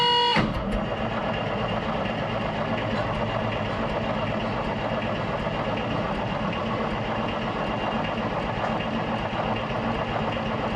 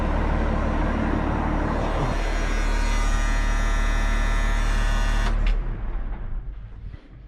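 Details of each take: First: Road grader with rebuilt Cummins 8.3 diesel after sitting, throttle held wide open, fuel shutoff solenoid energized: steady starter churning with even compression pulses about four per second, never catches; owner suspects gunked fuel leaving the pump without fuel. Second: Road grader with rebuilt Cummins 8.3 diesel, pump drive removed from crankshaft rear to cure a knock: smooth, even diesel rumble at steady speed with no knock, then shut off and winds down; hard starting still unsolved.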